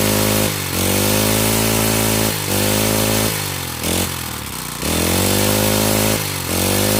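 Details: Honda GX35 four-stroke brush cutter, after carburettor cleaning and raising the needle for freer fuel flow, picks up smartly each time the throttle opens, holds high revs and drops back without stalling; running properly.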